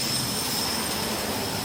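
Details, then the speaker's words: Sprinkler blowout using a 22-gallon compressor at about 115 psi, at the last head by the curb after a second 5-second blast: steady hiss of rushing air with only a few last drops. The zone is blown clear of water. "Sounds like all air to me. Well, almost. Couple last little drops, but looking good."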